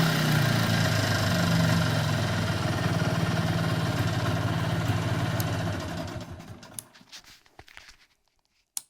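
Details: 1994 Polaris Xplorer 300 4x4 single-cylinder after a top-end rebuild, steady low buzzing drone at certain rpm and on deceleration, with or without primary clutch, driving or stationary; nothing obvious rubbing, source unknown.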